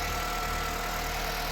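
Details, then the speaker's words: Acura/Honda engine idling with the accessory belt removed, after a shop called the engine or timing chain bad; smooth, even idle with steady low hum, no knocks, ticks or squeals; engine healthy, the noise traced to the AC compressor. "All right, so there you guys go. That's how the engine sounds without the belt."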